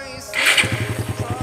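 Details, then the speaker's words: Suzuki Satria FU 150 after fixing a no-start caused by a weak battery and flooded carburetor, battery now charged. Catches quickly and settles into an even, steady putter of about eleven beats a second; clean start and healthy idle. "Oke, mudah sekali guys ya hidupnya ya, sudah tidak susah lagi hidupnya."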